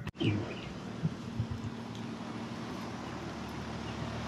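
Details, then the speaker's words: Carrier condenser after compressor and condenser fan motor changeout, first start after evacuation: brief thump then quiet steady low hum, no rattles or squeals; cooling normally. "well that's always a nice sound to hear"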